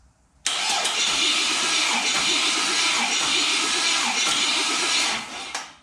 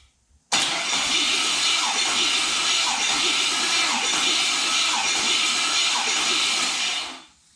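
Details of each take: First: LS LM4 V8 engine out of vehicle, intake manifold off, during compression test with starter: engine cranks sluggishly and unevenly, no start, reading 112 psi; slow cranking blamed on weak battery, about 120 psi with a stronger one. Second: Chevrolet LS (LM4) engine cranking during a compression test, intake manifold off, on a stronger battery after slow cranking: steady, even churn for about seven seconds with no catches; normal cranking, about 120 psi.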